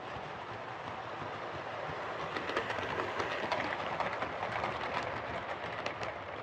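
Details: Hornby R2553 Princess Coronation Class "City of Bristol" model locomotive after repair of mangled rods and noise issues: smooth, even whir with steady clatter over rail joints, no stalling or stutter; normal running.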